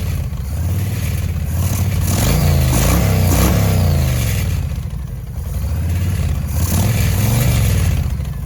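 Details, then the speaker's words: 2005 Yamaha Road Star 1700 V-twin after years of storage, new battery, enrichment cable seized: blips up and down in uneven surges, stumbling and popping as throttle opens; throttle hesitation and backfiring, starter also not fully engaging at times. "we're gonna start it again it sounded like it had some hiccups"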